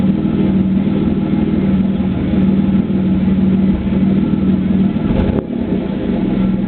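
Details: 3.8 V6 Camaro with a bad spark plug, idling and revving: steady exhaust note breaks up several times, one clear break-up near the end; cylinder misfire. Plane flies over near the end.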